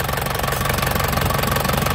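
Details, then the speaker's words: 2004 Panther LS (Black Panther) diesel, about 160,000 km, hot after driving 30 minutes earlier: even, fast clatter at a flat, steady warm idle, no misses or heavy knocks. No exhaust smoke, so the engine is healthy. "Suaranya masih ya, enak pokoknya, suaranya sip, dari mesin sehat nih ya."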